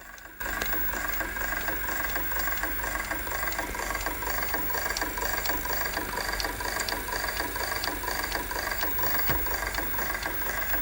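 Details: 1988 Sony SLV-353 VHS video recorder, during rewind: light ticking about twice a second over a steady mechanical whir as the tape runs, traced to a noisy capstan while rotating.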